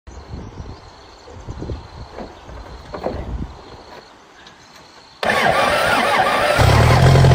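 Quiet handling noises, then the diesel catches at once and settles into a steady, even idle with no knocking.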